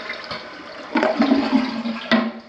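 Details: Residential toilet flush during a home inspection of an 8-year-old house: short rushing flush with gurgling swirl and a steady refill hiss, draining freely with no sputter; toilet working normally.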